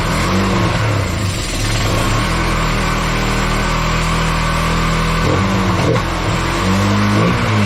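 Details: Kawasaki Bayou 220 ATV, sat eight years, after carburetor cleaning: idles then revs up and drops back cleanly, no misses or stumbles; smoky but clearing itself, starts right up, air filter off. Normal running and revving.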